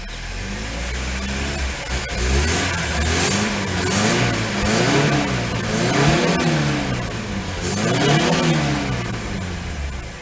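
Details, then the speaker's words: Carburetted Lada 2102: uneven revving that surges and sags between blips with a lumpy low note. The owner suspects dirt in a carb jet, and the carburettor is to be taken apart again. "must have some dirt in the carb I reckon at one of the Jets I mean is running on very very stout fuel"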